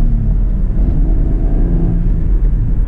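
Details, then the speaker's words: 2010 Chevrolet Camaro 3.6 DOHC V6, manual, 110,000 miles, on a back road after a rev-matched downshift to second: deep even exhaust rumble pulling strongly without stumbles or knocks; healthy acceleration. "the old 3.6 has no problem getting up and going, even with 110,000 miles."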